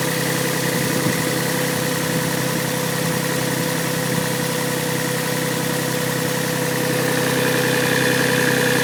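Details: Yamaha 1G-GE engine started cold: a steady light knock ticking with the engine's beat over an even hum at idle; source undetermined. Cold-start engine knock.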